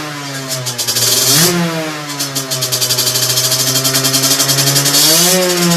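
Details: Two-stroke moped with 17.5 mm carburetor correctly tuned on test bench; sharp blips climbing instantly at slightest throttle and dropping back cleanly, steady crackle between; clean responsive engine.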